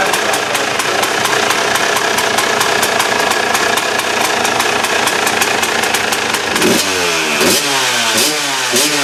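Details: KTM two-stroke after replacing reed valve: crisp high-revving ring holding steady, then sharp clean throttle blips rising and falling quickly; sounds much better than before; normal revving.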